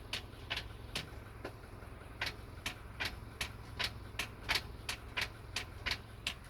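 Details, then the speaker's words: 2015 Subaru Crosstrek after repeated dealer repair attempts, won't shift into reverse until rolling slightly: sharp irregular light clicks, one or two a second, over quiet idle when moving shifter into reverse; sounds like something loose, not normal. "That's not a normal noise for shifting into reverse."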